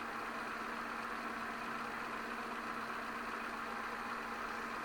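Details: 2006 Peugeot 206 1.4i 75 hp TU3JP (KFW) petrol at idle after oil change and new oil filter, run to fill filter: steady, even idle hum, constant speed, no knocks, ticks or misses; healthy engine.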